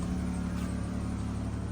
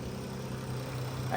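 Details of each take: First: Dodge Caravan before repair, check engine on with codes for cylinder 3 misfire, fuel system and oxygen sensor reference circuit slow, white foul smoke: uneven lumpy idle with a low rumble stumbling irregularly. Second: Dodge Caravan after repair of cylinder 3 misfire and white smoke: oxygen sensor and worn spark plugs replaced, intake manifold removed, MAP sensor cleaned; quiet, steady low idle hum with no shake, check engine light gone.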